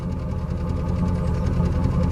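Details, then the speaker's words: 1998 Chevy Silverado Vortec V8 after driving and heat cycling, microphone at the exhaust: deep, even burble with steady pulses and no skips; normal idle, no overheating, good oil pressure, no smoke. "this sounds great doesn't overheat the oil pressure is good I have to say this is a win"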